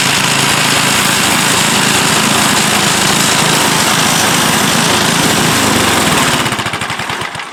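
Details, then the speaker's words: Toro 7/24 snow blower, 7 hp engine, just fitted with a new carburetor after starting and quitting: loud, even single-cylinder chatter at a steady fast rate, then smooth wind-down; runs properly, may need slight fine-tuning. "there you have it it works and it's a little fella but it does work I'm gonna have to probably fine-tune it a hair and check the belts send this thing on its way"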